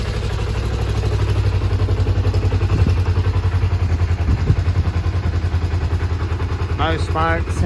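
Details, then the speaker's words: Kawasaki ZZR250 track bike under restoration, after an oil change: even low single-note idle with a quick rev blip near the end, smooth and clean; sounds good. "sounds good with the new oil. Happy days."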